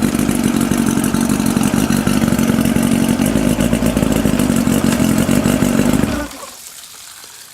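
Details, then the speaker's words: 1992 Mercury Classic 40 HP two-stroke outboard with a replacement block (original pistons scored), compression 132–135: strong, steady buzz at an even pace for six seconds before a clean shutoff; the replacement block runs fine. "c'est ça fait que le moteur marche le moteur que j'ai acheté est bon"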